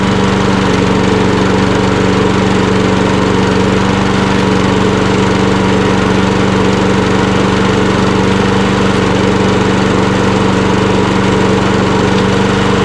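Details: Mower with a Kohler XT675 auto-choke engine running a steady, even drone that holds one pitch with no misses, surging or knocks. Running smoothly and healthy.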